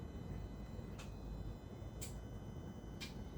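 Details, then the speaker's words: Jaguar AJ30 V6, VVT bank B solenoid slow-toggled from the ME360 ECU test function, engine a bit cold: crisp single ticks about once a second over a faint engine hum. Proves the solenoid is wired up and working. "Tick tock. Tick tock. Proving that A it's wired up and B that it's working."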